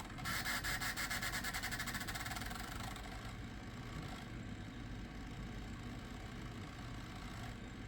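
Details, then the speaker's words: Gateway Solo 2500 laptop CD drive reading a restore CD re-burned onto CD-R at 24x: rapid rough fluttering whirr pulses, then settles to a quieter spin; the drive is struggling to read, cause suspected, not confirmed. "This is a quirk of this computer I forgot it had. Uh-oh. Oh boy, that doesn't sound good."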